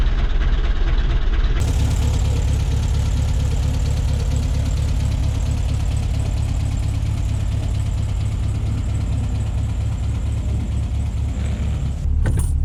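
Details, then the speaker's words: 1966 VW Beetle, non-original but correct rebuilt flat-four that started right up: deep, steady chuffing idle with an even beat, no knocks, misses or rattles; idling healthily. "But the motor's rebuilt. It started right up."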